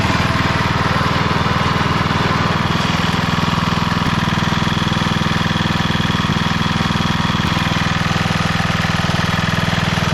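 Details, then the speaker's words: 1991 MTD 12/38 riding mower after a rattle-can restoration, basically finished: it starts, moves and mows. Steady, even single-cylinder chug at around four pulses a second with no misses or knocks. Normal running. "well it's basically finished it's gonna need a lot of buttoning up and cleaning and things like that but everything's there and it starts moves and most check it out"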